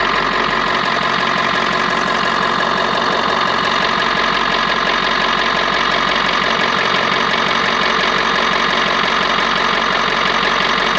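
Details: 6.7L Power Stroke diesel after fuel line replacement, following an earlier fuel spill: even diesel clatter at steady idle, no misses or changing knock over about ten seconds; running smoothly.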